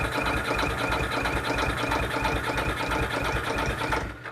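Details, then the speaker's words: Older vehicle with its worst, weak battery boosted by an Abox TrekPow jump pack reading 16 volts: fast, even cranking at about three beats a second, no slowing or dragging. The starter turns strongly; normal cranking. "Dji get a real big voltage drop when you hit the starter, these older ones particularly, because the earth cable isn't really heavy enough, to be honest. So to hear it crank like that was pretty impressive."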